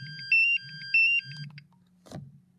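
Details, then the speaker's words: MSA Altair 4X multigas detector after a low oxygen reading (18.6): two high shrill warbling beep bursts about half a second apart; latched alarm keeps sounding until readings return to normal and it is reset with the UP button. "this thing will not stop alarming until it gets back to normal and until I get to reset alone but"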